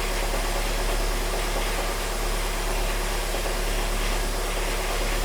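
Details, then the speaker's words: 2010 VW Fox running on alcohol, idling cold after diagnosis: a steady even low rumble with no vibration, knocks or misses, smooth enough to hold a glass of water; earlier a coil leak had caused trouble. "a o carro tá funcionando sereninho sem vibração Pode colocar um copo d'água ali em cima"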